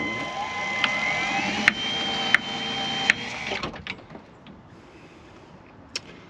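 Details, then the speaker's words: Caravan motor mover driving, after swapping the bearing part to the opposite side: sharp metallic clicks come about every three-quarters of a second, then stop. The click stayed, so it is not the bearing; that side still has to be opened up. "damn it okay so it's clearly not the bearing then so um yes I'll have to go back to the drum board and take that side off and see what's going on"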